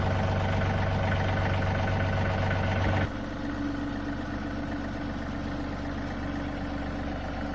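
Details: John Deere 3038e compact diesel tractor idling in neutral with parking brake on after replacing the neutral safety switch: even chug settling lower, keeps running without cutting off.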